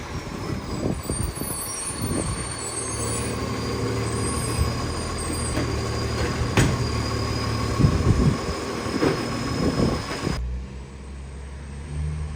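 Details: 2013 West Torrens diesel garbage truck pulling and revving: an uneven chuffing rasp over the engine note. Big exhaust leak.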